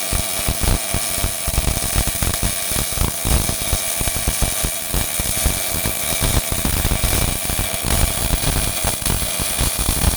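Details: Old Miller-Matic 251 MIG welder at 21 volts and 366, welding pipe fittings: an even, continuous sizzling crackle like frying bacon with no pops or sputter breaks, a steady, well-set arc; normal MIG welding arc.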